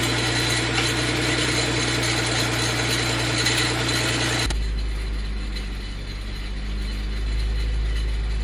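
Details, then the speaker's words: Mitsubishi FTO with a replacement engine just installed, first start: catches and settles into a rough idle with a fast rattle about three per second; owner suspects the tensioner bearing, not confirmed. "okay guys so we got a running as you can hear we had a pretty nasty sound from the tensioner bearing I think um I'm not too worried about that"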